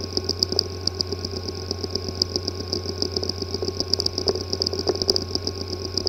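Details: WD Scorpio Blue 2.5-inch SATA hard drive WD5000BPVT (PCB 2060-771852-001) with physically damaged disk assembly: rapid, irregular ticking and clicking over a steady high whine; drive not accessible, pointing to head/disk assembly damage.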